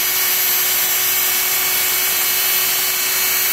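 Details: 660 W washing machine motor, rated up to 15,000 rpm, on a TDA1085C tachogenerator speed regulator turned fully up: even, steady high-pitched whir with one constant tone and no knocks or rubbing; normal high-speed running.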